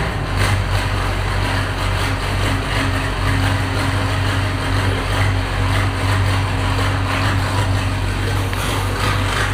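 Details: Diesel 9700 idling steadily and evenly after a first start following injector replacement with new copper washers and seals, having sat about 9 months; smooth unchanging beat, no misfire or knock, engine running healthy.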